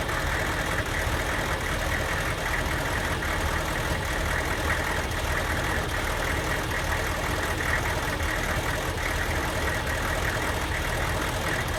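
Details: Diesel van at idle with a Kojo ECU tune: a rough, lumpy idle with stumbles about once a second over steady clatter. It runs worst when hot and barely reaches 45 mph; a stock junkyard ECU restored normal running.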